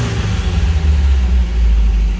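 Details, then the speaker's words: Rambler right after a points swap, throttle blipped from inside the car with no working tach: deep, smooth roar swelling quickly and settling evenly, no misses; revs freely and cleanly; owner thinks the old points were part of his problem. "She gets rev happy quick now. I think that might have been some of my problem."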